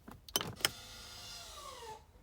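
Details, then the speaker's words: 2017–2020 Honda CR-V, ignition on with engine not started, rear caliper electric parking brake engaged by pulling the switch: a couple of clicks, then a short rising motor whir for about a second that stops cleanly; normal engagement. "this is the parking here when I'm press when I pull you will hear the noise"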